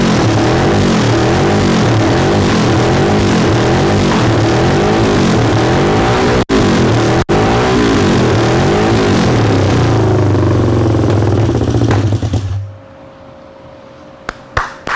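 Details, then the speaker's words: 1974 Yamaha TX500 twin, first start after sitting over 20 years: fires and revs in uneven surges with a throbbing low beat, then dies; carburetors need work, and the owner also notes a possibly hung-up valve. "Haha, it runs! That's cool news. So I know the carburetors need work."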